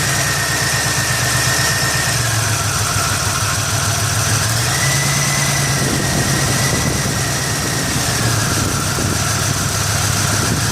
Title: 1989 Buick Century 3.3L won't start, runs then quits, rough poor idle, bad faulty fuel injector.